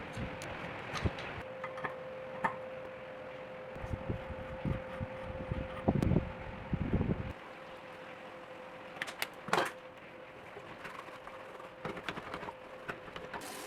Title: Loud brake noise problem can be fixed with dishwashing liquid and sandpaper #bikeservice